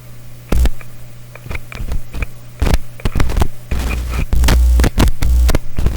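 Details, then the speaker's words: Clairtone console stereo with one phono channel dead, probing cartridge wiring with finger and clip lead: low steady mains hum under handling clicks and thumps, hum getting into the phono input. "continuous hum going"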